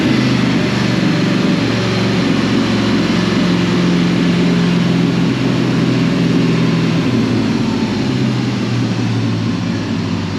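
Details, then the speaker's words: 2005 Dodge Ram 1500 4x4 with a swapped donor Hemi V8 and new fuel pump, started on ether: lumpy, loping idle with dropped pulses every few strokes, missing on one or two cylinders; injectors suspected. "we got it to idle we uh kind of went with what my brother was thinking and uh got her going on some ether for a little bit and then it started picking up on some cylinders to where it run on itself and so we've just been running it here it's still [Music] missing but at least it's idoling"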